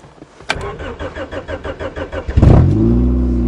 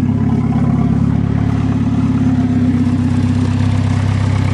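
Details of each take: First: Honda, cold start at −8 °C after a −11 °C night: steady cranking for about two seconds, then it catches cleanly and settles into an even fast idle; a healthy cold start. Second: Swedish turbo car, cold start at −8 °C: a low steady idle drone that wavers slightly; owner thinks one cylinder sounds a bit low, not firing properly; cause not confirmed.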